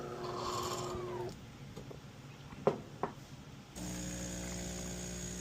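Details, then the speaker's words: DeLonghi espresso machine (European 220 V unit on a transformer to 120 V), customer complained of loud pump and low coffee level; medium/standard cup test, steady buzz, short quiet spell with clicks, then even buzz again. Completely normal pump sound, no problems. "That's completely normal sound. And there's no problems at all with the pump."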